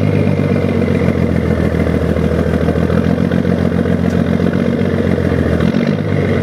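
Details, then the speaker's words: 1975 Scania truck diesel, freshly rebuilt engine, oil pressure holding at 1500 rpm: deep even clatter with steady beat and one smooth gentle rev. Normal diesel idle and rev. "galera ouviram aí o ronco ó sem judiar galera só o motor acabou de fechar né"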